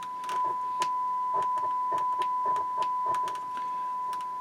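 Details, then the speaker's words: 1970s Marantz 2250B receiver on bench test after cleaning and DeoxIT; crackling bursts through a test tone as the bass/mid/treble pots turn, still scratchy at the ends of travel, notably the midrange. "even though i clean these base mid treble pots they're still scratchy and put deox in them they're still a little bit scratchy on the ends of the travel"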